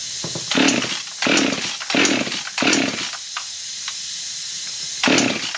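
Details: Husqvarna 55 chainsaw that idles but dies, chilly humid morning around 40°F, after a carb kit, choke on: fires and revs in short bursts, each dying within a second; won't keep running under throttle, cause not yet found.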